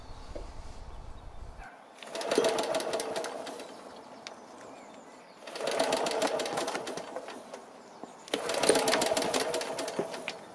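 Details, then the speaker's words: BSA 300 W ex-military generator (Johnson Chore Horse copy), choke out, flexible exhaust pipe fitted: three pull-start bursts of fast rattling cranking that fade without catching; hard starting. Weak spark, open-circuit magneto secondary winding; owner suspects timing. "noticed that the engine did fire on a few of those attempts and it did that many more times when the camera wasn't rolling but in each case it sounded pretty muted like the spark was too so I'll pop the flywheel off again and adjust the timing"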